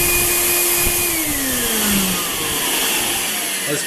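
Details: Free roadside Craftsman 12 gallon wet/dry vacuum with no-suction complaint: loud rushing motor with high whistling tone sliding down in pitch, siren-like; strong vacuum, owner suspects junk inside the fan.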